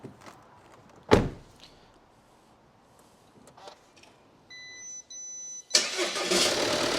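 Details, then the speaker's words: 2019 Audi Q5 diesel with crash damage and a seized engine, replaced by one with the same engine code, first start on a booster: starter cranks, beep, fires straight up and runs briefly then cuts out on residual fuel, fuel system unprimed. "it started though fired straight up but cut out that was obviously the fuel that was in the engine"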